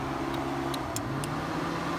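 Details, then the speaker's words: 2001 Subaru Outback with engine off and check engine light flashing: radiator fans hum and relays click on by themselves. "you can see that the fans are turning on by themselves the engine is off and then you can hear your release you can hear"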